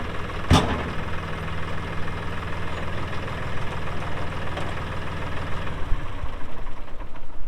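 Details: 2018 Massey Ferguson 2605H 4WD compact tractor, 310 hours: engine catches and settles into an even diesel idle with steady clatter and no misses; normal healthy running.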